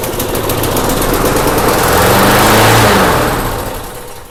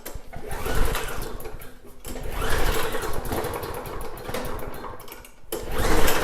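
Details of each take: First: Snapper mower with a badly leaking fuel tank, fuel poured into the intake: engine picks up speed, holds a few seconds, then fades and dies; it is not getting fuel on its own, carburetor suspected. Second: Snapper mower with leaking fuel tank, started in enclosed garage: sputters and stalls a few times, then catches and holds a steady rattling run; sounds okay once going, carburetor still to be checked; normal running.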